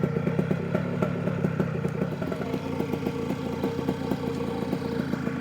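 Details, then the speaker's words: New OpenPPG SP140 V2.0 paramotor two-stroke on a 5-minute break-in idle run per the manual, on 40:1 Motul with ethanol-free gas: even, quick patter at a low steady idle with no misses or rattles; healthy. "Let It Go for about 5 minutes right now just going to do that at [Music] idle"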